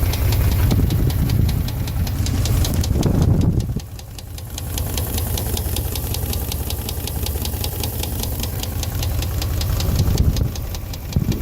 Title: 02 Dodge Dakota 4.7 Engine knock